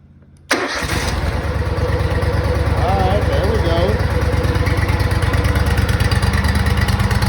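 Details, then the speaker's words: Exmark Lazer Z mower with a newly installed replacement engine, started on full choke with a little throttle: settles into a steady, even fast run with no knocks or misses, high idle needing adjustment. Normal running. "a pressure loop motor so sounds good though surprise it runs so"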